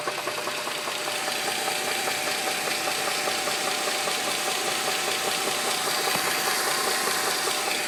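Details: 2007 Dodge Charger 2.7 petrol V6 idling with a loud, steady metallic knock, two or three raps a second, after oil ran fully low on the interstate; lash adjusters, spark plugs and valve cover gaskets replaced and engine cleaned, knock persists.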